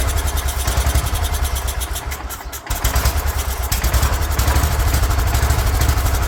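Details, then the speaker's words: 36-year-old Toro Wheel Horse 416-8 garden tractor, after the coil was corrected: small engine thumps about three beats a second, sags and nearly stalls, then picks up unevenly; a leaking fuel line starves the carburetor, and once fixed it runs. "All right, got a leaking fuel line here, so it's not pulling fuel all the way through the carburetor. Get that fixed and see if it'll stay running."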